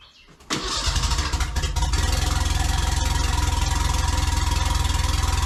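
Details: Merkur XR4Ti after an engine swap, with injectors cleaned and fuel pressure tested: a short crank, then it catches and settles into an even, steady idle with a regular low pulse. First successful start.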